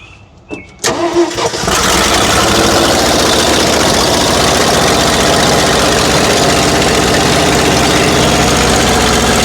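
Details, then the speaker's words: 1970 Ford F600 dump truck, first run in years, primed with two-stroke mix gas: cranks then catches after about a second, runs loud, ragged and uneven, smoking; leftover fuel in the fuel pump, carburetor soaked again. "There must have still been some fuel left in that fuel pump."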